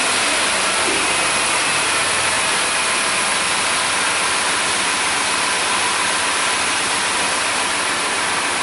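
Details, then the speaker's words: 2001 Dodge Dakota 4.7 V8 after repairing the driver's-side exhaust manifold flange bolts, fixing a P0171: steady, even, quiet idle with no ticking or puffing; the engine sounds healthy. "well now it just sounds like all the rest of them I'm surprised it's not ticking I thought for sure this thing was going to have some bad manifolds but she's quiet now"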